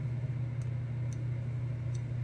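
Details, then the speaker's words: Philco 71B cathedral radio, electrodynamic speaker tested with a 9-volt battery across its pins: three sharp clicks about half a second apart over a low hum, likely the voice coil responding, so the speaker appears to work. "yeah I'll definitely have to check and see but we are getting a click anyway out of what sounds like the voice coil hopefully that's the voice coil"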